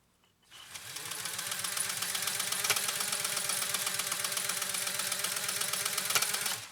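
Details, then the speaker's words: Restored Pfaff 130-6 sewing machine starting stitch number 4, Control C at position 3 (far-right needle), take-up arm raised first. Even, quick ticking at about four stitches a second with a crisp, steady rhythm: normal running. "Just get my take-up arm all the way up, and let's launch into this next stitch, stitch number 4."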